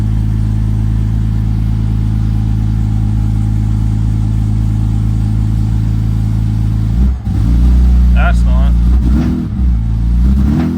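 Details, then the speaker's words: BMW E46 drift car with a laggy, bogging throttle, after fixing vacuum leaks and a popped fuel line: idle mostly steady with a faint uneven beat, revs stumble briefly on throttle opening. Slight misfire and hesitation on acceleration. "Still sounds like there's a slight miss, but it's not as bad as it used to be. Little hesitation."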